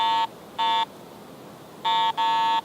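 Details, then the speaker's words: Garrett AT Pro International metal detector in standard mode with iron discrimination at 25, sweeping an iron nail: five short, identical mid-pitched beeps over a quiet background; the normal low-tone iron response. "tone on the iron. Mid-tone on the bronze coin again. And on the end, silver has the bell tone."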